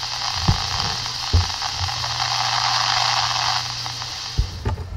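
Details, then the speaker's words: Desktop PC's CPU air cooler fan, recorded with the mic moved close before replacement with a Corsair H55 liquid cooler: a steady, loud airy whoosh with a faint hum underneath, no rhythm, while only idling; it gets much louder when rendering or recording. "so that is basically the sound that's not even it on full bore that's kind of idling"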